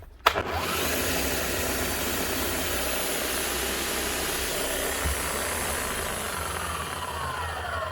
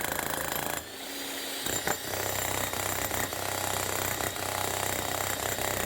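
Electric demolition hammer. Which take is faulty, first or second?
first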